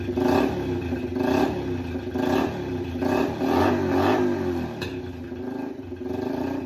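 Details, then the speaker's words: Yamaha TT-R90 first run after a top-end rebuild with new piston rings, no muffler (straight pipe): raspy blipped revs with crackling pops off throttle, backfiring. Runs well, only slight smoke at idle. "She runs pretty good. She's not smoking at idle. Just a tiny bit of smoke. I don't love it. Um, it's obviously backfiring because there's no um exhaust in there."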